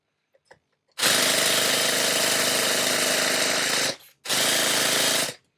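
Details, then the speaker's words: Nitro RC car engine that won't start: two bursts of high, buzzing starter spin with no firing. "Okay, so that says to me that it's got a little bit of fuel and it's very, very close to starting."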